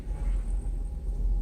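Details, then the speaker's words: Mercedes S500 at idle during a final computer diagnostic with adaptations reset: EGR valve commanded open, deep lumpy rumble that surges and shakes badly, then smooths out when closed, confirming the EGR valve works. "Now it shakes really bad. I don't know if you, yeah, EGR is, and it smoothens out. So EGR valve is working."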